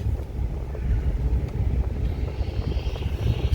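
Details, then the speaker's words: 4x4 truck on a road test after a broken two-piece part was replaced; the 4x4 fault was traced to a popped or broken vacuum hose: low road rumble and wind with no grinding or scraping; the drivetrain sounds normal, 4WD not yet tested. "far it doesn't sound like anything. So far so good. Still gotta test out the 4-wheel drive, see if that still works. So far we ain't got that sound, and usually we would have got it by now."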